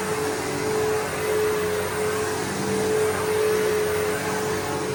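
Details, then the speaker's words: Bissell PowerForce 3522-1 vacuum after lubricating its previously squeaking motor: steady even motor roar with clean constant tone, no squeak or rub; normal motor run. "Sounds good. It was motor was squeaking so I lubricated it. It should be fine now."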